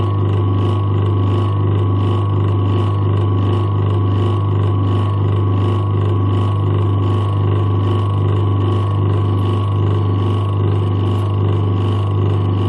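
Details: Old USA-made Century single-phase repulsion-start induction motor, 200 V rated run on 240 V, drawing about 3.27 A against a 3 A rating: deep, steady electrical hum, even drone, no knocking or rubbing; running smoothly and healthy.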